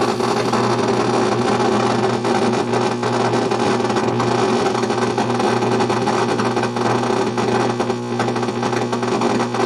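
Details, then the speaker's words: 1964 Rowe AMI Tropicana jukebox, old tube amplifier powered up before the rebuild while a record plays: a steady buzzing hum with hiss and no music at all; there are major problems in the amplifier and/or preamplifier. "we're going to turn it on and look for explosions might get some hum here yep we're loud people again"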